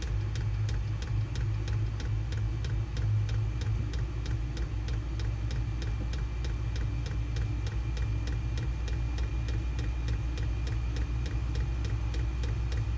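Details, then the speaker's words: SILVEL diesel heater in an insulated two-car garage, exhaust ported through a wall, warming up to full heat: low steady fan and burner roar with a crisp fuel-pump tick about twice a second; running normally. "warms up fairly slow but once once it gets going you know it it puts out a pretty significant amount of"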